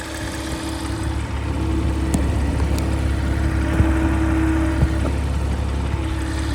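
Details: Porsche Macan S at idle: steady petrol idle with a faint hum and light irregular knocking creeping in near the end; an unusual noise, cause unclear.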